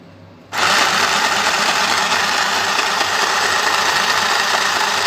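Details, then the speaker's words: Mini electric sewing machine after fixing bobbin housing timing: fast, even whirring chatter at steady speed, now stitching cleanly with no catches or knocks; previously wasn't stitching. "and it's happening you can see and you can see it's stitching now"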